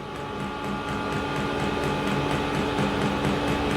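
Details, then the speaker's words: Diesel heater on a home test bed, just lit and running indoors: a steady blower roar with soft fuel pump ticks about twice per second, and hot exhaust coming out. Running normally. "Yeah, so we definitely got heat coming out the exhaust pipe. So I've got a feeling we must be working."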